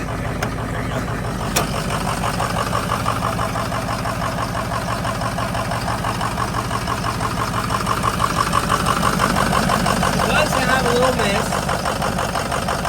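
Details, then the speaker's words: V8 idling after a burnout session, running poorly since being driven home but not smoking; a quick steady ticking of about three puffs a second rides over the rumble, suspected exhaust leak at a pipe. "I hear what sounds like leak. You hear it? Maybe that's the exhaust here."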